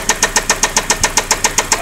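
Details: 2003 Saab 9-5 petrol engine idling with a sharp metallic knock about seven times a second; oil had been about 1.5 quarts low, since topped up; knock first heard while driving.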